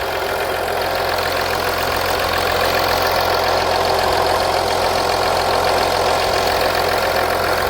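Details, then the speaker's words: 2014 Audi Q7 3.0L idling after valve cover gasket replacement, checked for leaks; steady, even hum with no ticking or knocking, normal idle. "so as you can hear the engine is running we're going to look around the engine bay to see if we have any lips the engine sounds"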